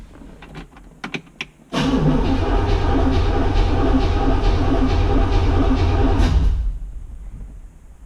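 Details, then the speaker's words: 1963 Corvette Split Window not run since 1981, with spark confirmed and fuel just added: the starter cranks steadily at about four beats a second for nearly five seconds with no firing until fuel arrives; no start because fuel not yet delivered. "it takes a little while to get fuel once it gets fuel it fires right up"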